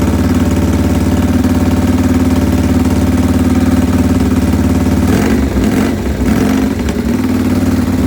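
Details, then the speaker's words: AJS 1000cc overhead-cam world record breaker built 1929, 138 mph record attempt 1931 at Agen, France: big vintage engine thumps at an even, strong idle with a brief blip, clean regular firing; runs exceptionally well. "But however, it runs exceptionally well, and I'll crack it up and let you have a listen to the world record breaker."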